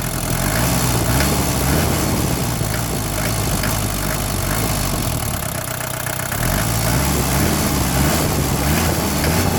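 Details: Mercedes 240D diesel, recently swapped-in engine, blipped off idle: a metallic clanking on quick throttle openings, absent when revved slowly; cause unknown.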